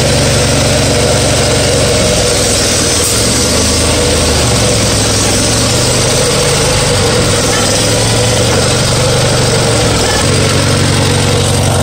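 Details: Farmall 140 industrial tractor, revived after 10+ years sitting, driven after a clutch repair, in reverse then second gear: uneven, lumpy running with a loping beat and stumbles under load; a misfire because two plug wires were swapped on the distributor cap.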